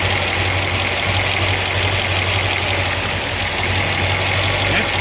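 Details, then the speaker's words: 1976 Corvette V8 not yet warmed up (gauge just over 100°), after fixing binding roller rocker trunnions and replacing valve stem seals: steady idle with light, even valvetrain clatter and no knocks; normal valvetrain noise. "like normal valve train noise mechanical [Music] noise [Music] that sounds like a win to me"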